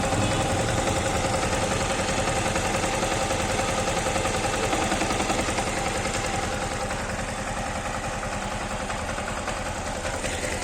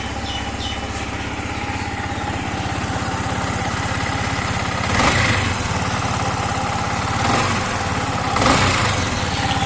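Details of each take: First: Yamaha MT-15 single-cylinder engine: steady, even idle at a constant rate with no knocks or rattles; normal idle. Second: Yamaha MT15 / R15 V3 single-cylinder idle with a rough, uneven beat of about three pulses a second and brief throttle blips; abnormal engine noise, cause not pinned down.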